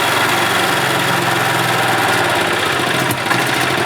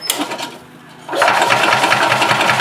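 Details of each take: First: 1991 Yamaha G8 gas golf cart engine after carburetor cleaned of junk and worn-out fuel pump replaced; small single-cylinder holds a steady, even buzz at idle with no stumbling or hunting: running smoothly. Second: Gas Yamaha golf cart (title: 1991 G8) that runs two or three minutes, slowly throttles down and dies: starter churns at a steady rapid rhythm but the engine never catches; crank no-start from fuel starvation, failed fuel pump, before a carb clean and new pump.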